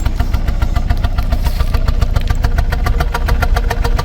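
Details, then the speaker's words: Car just started, check engine light on, misfire codes plus an air-fuel ratio imbalance code, car vibrating: uneven idle with a stumbling pulse three to four times a second over a lumpy rumble; misfire, owner expects new coils and plugs to fix it. "I knew exactly what it was as well because I felt the car vibrating just like a misfire. So this is what it sounds like when a car or truck has a clear misfire."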